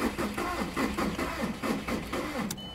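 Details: 2000 VW Jetta TDI just after a head reinstall with a used piston and rod and new glow plugs: slow, weak, labored cranking at about three compression beats a second with no firing. It later started and ran, and injection timing was then checked.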